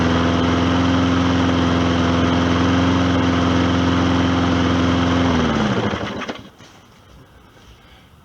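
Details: Old Hyper Tough lawnmower, not rebuilt, only cleaned up and repaired, running on an additive said to be fine for old engines: a steady, even buzz at constant speed for about five seconds, then it winds down smoothly; runs like a champ.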